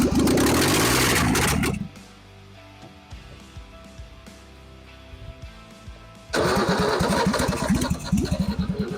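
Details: Ford XP Falcon engine that sat 35 years, now catching and settling into quick, steady firing with some loose rattle and running cleanly. The ignition timing has been corrected after a backfire, and it is running with no exhaust manifold fitted.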